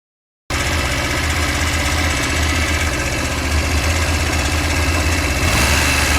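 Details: Honda Varadero 125 motorcycle at idle: loud metallic knock about four raps a second over a low rumble; it comes and goes randomly at startup, while riding and after riding, only below 5000 rpm, quickening with revs; performance unaffected.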